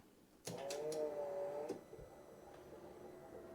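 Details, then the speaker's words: Key-on on a MK2 VW Golf GTI freshly swapped to an AWP 1.8T with MK4 ECU and MK3 fuel tank: a whirr of just over a second, then faint gurgling bubbles as the fuel pump primes a completely empty system. "It's making noise, I hear some bubbles. Of course, with the system being completely empty, I will have to let it prime for a little while."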